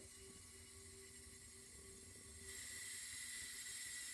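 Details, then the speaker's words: Refilling a carbonation CO2 cylinder from a siphon-tube tank, liquid CO2 transfer as the valve is slowly opened: a soft steady hiss that brightens and grows louder, normal flow, pressure rising toward green. "so this has a siphon tube in it so the pressure is pushing down on the liquid the liquid's coming up the siphon tube and out there so we're transferring liquid right"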